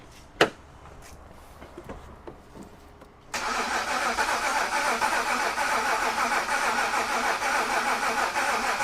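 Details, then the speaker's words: 2013 BMW 328i E93 N51 cranking, no start: quiet then steady starter whir about three and a half beats a second, never fires; drained fuel found separated and contaminated. "this car came in with no start it got towed in it cranks but it doesn't start"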